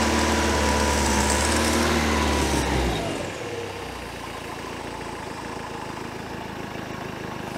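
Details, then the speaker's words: 1973 Larson boat, Mercruiser 120hp 2.5L warming after cold start, choke opening as bimetal spring warms: runs fast and even at first, then revs ease down to a calmer idle; healthy. "once it starts getting some temperature up in here it's going to warm up that bi metal spring and have things kind of start to open that choke on up"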